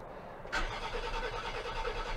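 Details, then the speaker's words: 2003 Land Rover Freelander, sitting since November 2018, cranked after ether/carb cleaner sprayed into the intake: even starter cranking, never catches or sputters; no fuel pump sound heard, fuse and fuel pump suspected, not confirmed. "let's give it a quick shot if it sputters then we're on the right track and here we go it's not even sputtering"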